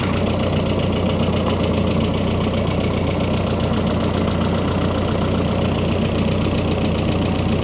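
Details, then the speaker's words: Freshly rebuilt turbo engine, running with hood closed and radiator cap off to burp coolant: steady idle with heavy, loud drone and busy mechanical rattle, some lifter tick; owner unsure why noisy, hopes it needs break-in. "I want to know why she's so noisy up the You see what it sounds like with the hood closed. Maybe it's quieter. No, it's not much quieter. Maybe she just needs to break in."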